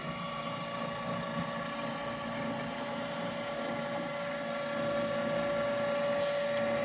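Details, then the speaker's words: Met One E-SEQ-FRM sequential sampler, flow cassette with dummy filter inserted from load magazine: steady motor hum with faint whine as the turntable moves the cassette into the line of flow, no grinding or catching; transport operating normally. "Turntable moves, goes into the line of flow, and the menu will say, well, we're start sampling right away."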